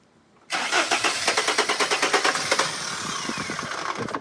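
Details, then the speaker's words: T1N Sprinter diesel van inspected for sale, with black death present. The starter spins fast, about three compression pulses a second, with faint attempts to catch but it never fires; something seems to get stuck after the starter disengages. Cause unconfirmed. "it's spinning pretty fast and something's getting stuck there after you disengage the starter"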